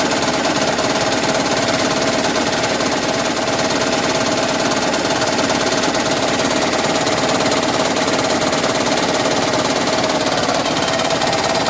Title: 2010 Prius - Engine Knocking (Raptor Sound)